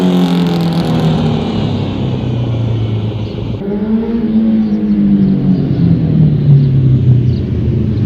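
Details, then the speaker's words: 2005 Honda CBR1000RR inline-four after rebuild and balancing shaft adjustment: idles and blips with a clean exhaust note and the earlier whine/whistle gone. Runs healthy but slightly rough at idle; idle/AC thermal valve adjustment may need tweaking. "That sounds so much better. Okay, so bike sounds way better. The whistle is gone."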